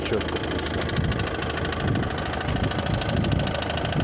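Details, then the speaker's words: Ford Focus 2 1.6 diesel idling with dull regular knock over the clatter, very clear with hood closed; owner suspects a pulley or tensioner roller, cover not yet removed, unconfirmed. Engine knock at idle. "а такой Стук когда двигатель закрываешь капотом вообще чётко"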